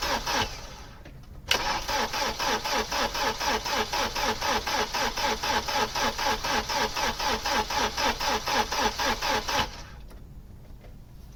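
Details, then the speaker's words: Opel Omega A 2.4i CIH estate parked in a barn since 2003, cranked on the key: the starter spins the engine freely at an even four beats a second for about eight seconds, but it never catches. It cranks but won't start, and a lack of fuel is suspected. "Well, it turns easy enough. It's put the oil pressure light out and the management light's gone out."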